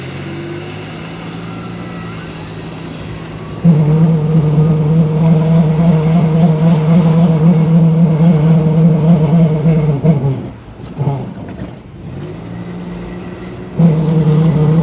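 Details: 1994 Toyota 4Runner while driving: a steady low droning hum comes and goes over road noise. Owner suspects a bad wheel bearing or CV axle, not confirmed.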